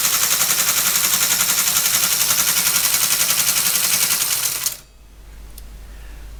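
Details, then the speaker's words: ASR33 Teletype printer during restoration, motor at 90 volts, low speed, now drawing about one amp versus over seven amps unloaded before; fast even mechanical clatter three to four beats a second, not overheating: running normally. "well it seems to work it's got the power to drive the machine it's not getting hot straight away before 20 seconds and it would have been smoking so it's now drawing just around an amp"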